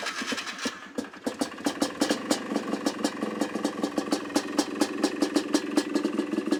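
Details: Polaris Trailblazer 250 two-stroke ATV after a Mikuni carburetor rebuild, cold start on choke: it coughs, catches after a short pause, then settles into a quick, even popping idle; normal idle.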